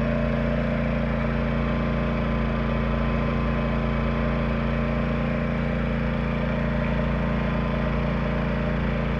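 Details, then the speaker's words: Yamaha 2000is inverter generator in eco mode, light load, plugged into trailer 13,500 BTU air conditioner with Hyper Engineering Sure Start before compressor kicks on; steady even drone, no surging or misses, different sounding than the Honda 2000 and perhaps quieter; running normally. "the Yamaha definitely has a different sound to it and um me and my buddy were just talking about it and it seems in a way kind of quieter"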